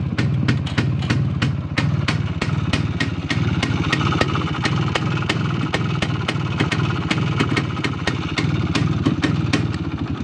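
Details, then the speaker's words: Izh P5 moped two-stroke, cold start using the choke after a head removal and minor repair; sharp metallic clacks about three times a second over a lumpy idle, cause not confirmed. "О, давайте заведемо його на холодну, як він, короче, торохтить, нахуй."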